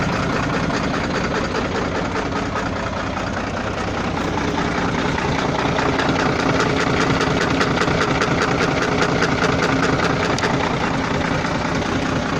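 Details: Volvo FL6 diesel truck at low idle. A faint knock at about two to three per second comes and goes; intermittent engine knock of unknown cause.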